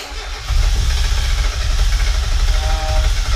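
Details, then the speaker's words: Spec Miata engine (1.6/1.8 confusion) on first start: catches and runs lumpy, coughing and stumbling without settling; misfiring, with wrong spark order or ignition timing suspected. "Kill it. Kill it. We got the wrong spark order or something."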